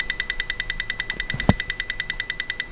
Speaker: so injector one you hear it yeah you can hear that this is always good to do especially if you made your own harness